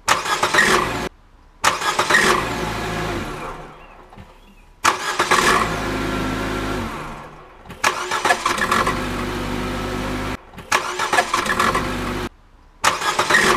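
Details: Brand-new 2016 Nissan Juke with CVT: on a cold start the engine fires and runs with a harsh, loud clatter in several bursts; the noise is unusually heavy and the cause is not identified.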